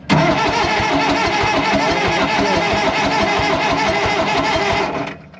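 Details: Allis-Chalmers 644 articulated forklift diesel after 10+ years sitting, on booster power, fuel confirmed at an injector: even starter cranking about three beats per second, never fires; cranks but won't start, low compression suspected.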